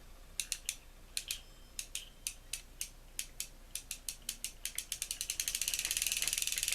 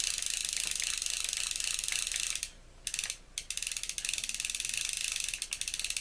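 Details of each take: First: Ocean City 920 level wind fishing reel, hand-cranked during service: dry, uneven clicking that catches and hitches from overtightening and lack of lubrication; after loosening slightly and oiling where the bail rides, it turns nicely with no more hitching. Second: Ocean City 920 level-wind fishing reel after disassembly, cleaning and lubrication (cracked side plate): fine, even ratchet clicking runs steadily with one short pause and no catching or hitching; the reel now turns smoothly.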